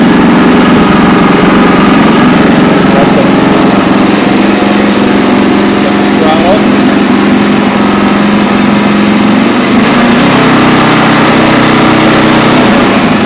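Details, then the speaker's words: Renovated Troy-Bilt Horse tiller on a test till after rebuild: fires right up, steady even single-cylinder chug at constant speed, no knocks or misses, working good. "took it out and did a little test till with it and it's uh working good fires right up"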